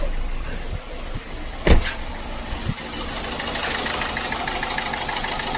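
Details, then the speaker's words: Ford EcoSport 1.4 diesel with the malfunction light on and poor pickup: idles with an uneven, shaky beat and engine vibration as one cylinder drops out; misfire suspected from injector wiring or an injector issue. "చూసారా engine ఎలా vibration అవుతుందో ఇది problem దీనికి వచ్చే దీనికి injector side wiring కానీ injector issue ఉన్నా ఇలా"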